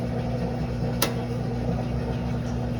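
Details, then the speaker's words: GE stackable washer that wouldn't drain: with the faulty lid lock switch held down manually, the drain pump runs with a steady, even low electric hum before cutting off; pump works, lid lock switch is bad. "Now it's draining. You can hear it draining. Pumps on."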